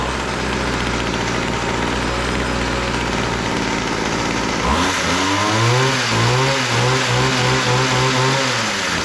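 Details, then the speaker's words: Weed Eater GHT22 two-stroke hedge trimmer, long unused, after carburetor needle adjustment (high-speed had been too lean, low-speed too rich, would not idle): holds steady idle, revs up cleanly without stumbling; running normally. "all right that sounds pretty good"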